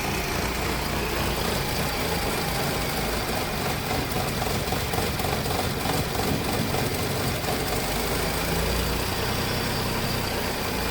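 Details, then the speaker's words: 2015 Ford Ka 1.0 three-cylinder, towed in cranking but not running, started only by reconnecting injectors while cranking: lumpy, uneven idle under light throttle, visible rich-mixture smoke and strong smell. "Dá uma aceleradinha de leve. Tá vendo a fumaça de mistura rica de combustível? Então a mistura tá muito rica, tá muito fedorento."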